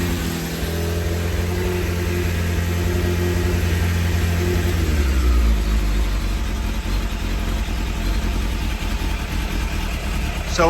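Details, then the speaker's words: Newly bought Suzuki Bandit 600 at around 2,000 rpm: an uneven, lumpy idle with occasional stumbles, one cylinder dropping out. It is misfiring, and the owner thinks it might be a fueling problem. "okay here comes a mire that's what makes you think it's a fueling problem"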